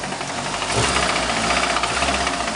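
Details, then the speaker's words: Nissan at a rough idle with a hard, irregular knock through the clatter. A breaking-up catalytic converter brick worked back into the engine, destroying it and starting the knock, so another engine was put in. "All right, that Nissan I was just showing you fell prey to a catalytic converter that had the brick breaking up and working its way back up into the engine, and it destroyed the engine and started it knocking."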